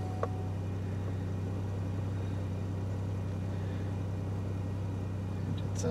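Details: 2006 Buick LaCrosse CX 3.8 V6 with complaint of rough running/surging under load and engine light: after sitting overnight, starts well and idles with steady, low, even hum, no knocks, ticks or stumbles.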